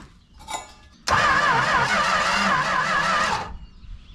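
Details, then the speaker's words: 1968 Plymouth Road Runner V8, parked 38 years, carburetor bowls filled, starter fluid sprayed, air filter refitted: the starter whirs for about two and a half seconds with an uneven, wavering note but never fires; it cranks with no start. "Time After Time the car would not start so what's the plan the plan is to try to put the air filter on there see the difference"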